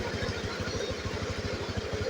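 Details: Honda Beat Pop two-stroke after rebuild (scored cylinder and old piston replaced): quick, even putter at idle, about a dozen beats a second, no misses or knocks; only thin leftover smoke from old combustion residue, expected to clear; healthy idle.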